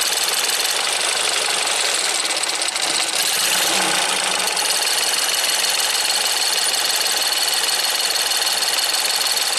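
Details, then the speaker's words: Ford EcoBoost van at idle with P0106 MAP performance code and high idle manifold pressure; bright fast metallic ringing tick like little bells, about four per second, owner suspects the high-pressure fuel pump, not confirmed. "so I don't know what say are we calling this high pressure pump I don't like it that it's ringing like that"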